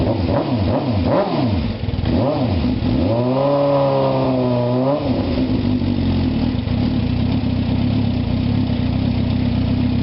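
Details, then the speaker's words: 2004 Suzuki GSX-R 600 four-cylinder after new battery install, cold day: fires and revs up and down smoothly a few times, then settles to steady, even, slightly high cold idle; sounds good. "sounding good it's a little cold today so let it warm up and uh take it out for our nice ride very happy guys"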